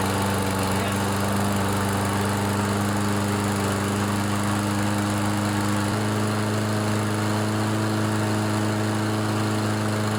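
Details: Briggs & Stratton 7.25 163cc OHV EX engine on a Toro push mower after head gasket replacement: smooth, even single-cylinder drone with steady pitch, no huffing or puffing; normal running.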